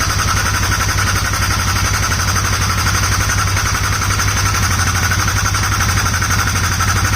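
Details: Polaris Sportsman 570 single-cylinder, first start of build after valve adjustment; steady idle with a quick, even tick riding over the thump. Owner forgot to tighten the cam chain tensioner and lost most of the oil; unsure if it's just the air intake.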